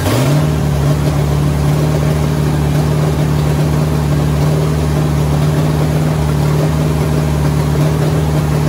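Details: 1967 Pontiac Firebird, newly installed 1977 Pontiac 350 V8: steady, even low rumble at settled idle, no knocks or misses; starts and runs fine, vacuum leaks still present.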